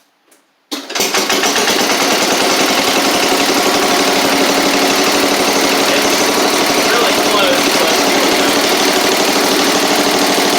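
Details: Classic Cub Cadet 70 tractor, single-cylinder engine, after PTO clutch and drive repairs: engine catches and settles straight into a steady, even run with no knocks or misses; normal running.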